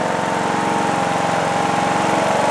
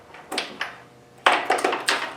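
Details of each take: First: John Deere D110 lawn tractor after engine swap, warm after about 10 minutes running: steady even single-cylinder drone with no misses or knocks, faint valve tick (valves may need adjusting); brief smoke only at startup; normal idle. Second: John Deere D110 lawn tractor after an engine swap, first start attempt with battery at 12.5–12.6 V: six sharp separate starter solenoid clicks with no cranking; starter does nothing.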